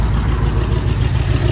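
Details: 1966 Ford Thunderbird 390 V8 idling after new carburetor, before a vacuum leak test: even, steady low rumble with no hunting or dips; best it has ever run.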